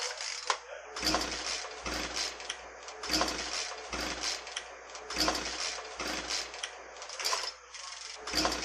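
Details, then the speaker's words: Two-stroke engine pull-start cranking with a suspected plugged spark arrestor screen in the muffler (fuel and cylinder checked fine): even, dull, choked bursts about once a second with no firing; muffled sound, no air moving through the engine. "could you tell the difference I mean you can certainly hear that with a plugged exhaust uh it just sounds muffled you don't get the the sound of air moving through the engine and in fact you don't have air moving through the engine"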